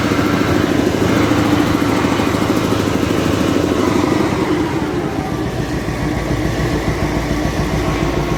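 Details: Caterpillar 988F2 wheel loader diesel after repair of the cylinder 5 injector (broken hold-down bolt, damaged seals, fuel leak causing black smoke, hard starting and knocking): even, steady idle with a firm low rumble, no knocking or missing.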